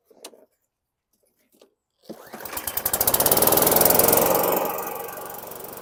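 Pulls over on the second try, revs up cleanly and settles to an even, steady chatter; small engine running properly.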